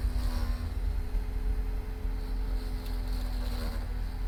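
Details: Cadillac: a steady low rumble with a constant mid-pitched hum over it and no clear knock; a strange noise with no evident cause.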